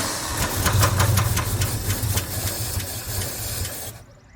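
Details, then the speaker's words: 1966 Chevy C10 truck, V8 long parked beside a barn, first start attempt on starting fluid with varnished old fuel: quick cranking catches and fires into a rough-running engine; engine starting. "Holy cow. All right. Well, she's a runner."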